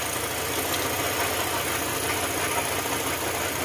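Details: Honda ADV150 scooter engine at idle with the seat removed: dry, fast top-end ticking clatter, about three knocks a second. The tensioner screw was removed to test the tensioner; another shop blamed the crankshaft side bearing; the cause is unconfirmed.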